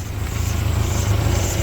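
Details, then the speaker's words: 1994 Ford Ranger 2.3L 4-cylinder after hose replacement and new starter; deep throbbing idle with an uneven chuffing pulse from underneath, sounds rough below but fine from above; much better, possibly an exhaust leak, unconfirmed. "it still sounds still sounds a little rough but it's completely night and day difference from how it was"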